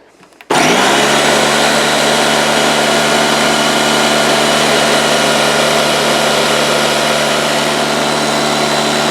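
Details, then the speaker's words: Porter-Cable 6-gallon pancake air compressor, 1.5 hp, 3.5 SCFM at 90 psi: motor runs with steady hum and hiss but never labours, no pressure builds or shows on gauges; broken copper discharge line found. "basically you'll hear the motor run but no pressure the tank will not appear to fill and these gauges will not indicate any pressure at all"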